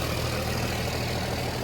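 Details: 29-year-old TimberJack 450-C skidder diesel after sitting 8 years, freshly started, not yet hot: steady even idle, deep rumble, no chuffing from the breather; blow-by check shows zero blow-by, runs good.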